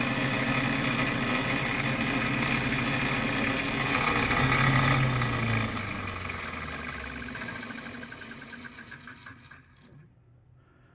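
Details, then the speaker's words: Restored vintage Robbins & Myers oscillating fan, first run after reassembly: electric motor hum with a fast, steady rattling tick fading on coast-down; something sounds off, owner suspects brushes hitting or too tight, or missing front grease fitting. "Well, it's not going in the wrong direction, but something sounds off. Let me see if those brushes are hitting or too tight."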